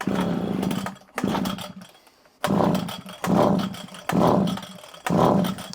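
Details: Old Komatsu Zenoah two-stroke strimmer, previously a no-start, primed and run off choke: picks up cleanly in short throttle bursts and drops back between them, running crisp without coughing or bogging; normal running.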